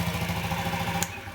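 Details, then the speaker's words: 2012 Honda Ruckus scooter that sat for years, after fixing the carburetor idle (pilot) jet; automatic choke makes it idle up then down: steady, even putter with a regular low pulse, no stumble; normal idle. "the automatic choke making the engine idle up and then idle down but it is strong"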